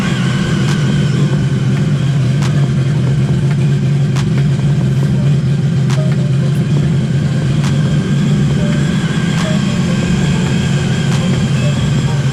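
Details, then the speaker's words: Newly completed Sea-Doo jet ski run in the shop before water testing: steady smooth low drone with no misses, knocks or whine; sounds healthy. "so as you guys can hear that thing is ready to go so we're gonna test this one out here and we're gonna test that one out as well tomorrow"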